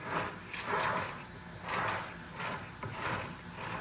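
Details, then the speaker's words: Rebuilt MazdaSpeed Miata rear differential, hand-spun on the bench after leaks and noise following another shop's rebuild, gives a rough repeating whirring grind with a gritty catch each turn; gear set suspected worn. "But honestly, I think the gear set shot in this thing because of the way it sounds, and I'm going to go ahead and spin it here, and so we can hear what it sounds like."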